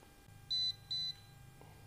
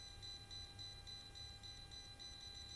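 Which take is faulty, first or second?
second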